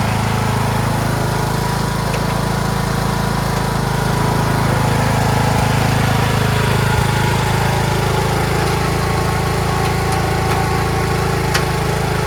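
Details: Craftsman T1600 (MTD-built) lawn tractor, 46" deck, Briggs 19hp single-cylinder, after replacing a blown cylinder head and head gasket, mowing: steady, even drone under load with no misses, knocks or hunting. Normal running under load.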